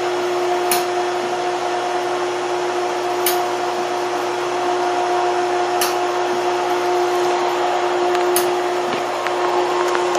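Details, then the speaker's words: Pool pump motor with a self-priming system, main drain opened; steady motor hum with a constant mid tone and faint clicks every couple of seconds as it tries to prime; pump running. "you'll turn on the pump motors and as soon as you hear it starts to click you'll open only one of the two I prefer the main drain and you'll hear it click click trying to Prime"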